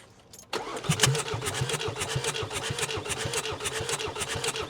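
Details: 2021 Ford Transit non-runner with water in the cylinders: starter spins fast and even with light regular pulses, no firing; cranking with injectors removed to expel water, afterwards oil pressure light goes out and injectors show rust.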